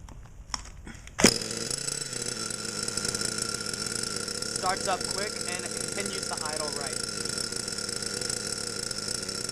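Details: Losi Aftershock nitro RC, engine warm, tuned by leaning the needle an eighth turn clockwise: high steady buzzing with no sputter or surging, clean-running after start.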